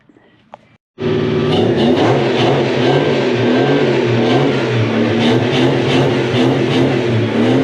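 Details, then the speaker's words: Toyota 1UZ-FE 4.0 litre V8 swapped into a Mk1 Ford Cortina, first run in at least seven years, through its mufflers; engine catches and revs smoothly with a clean, even burble, all eight cylinders now firing. "pretty sure we got all the cylinders now pretty awesome all of them are going that is success"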